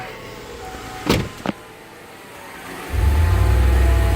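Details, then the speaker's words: Kia Sedona after replacing a cracked, leaking exhaust Y-pipe: a couple of clicks, then the engine starts and settles into a smooth, even low idle with no puffing or ticking exhaust leak. "Now you can hear nothing. It's actually, you can hear nothing anymore, so that's good."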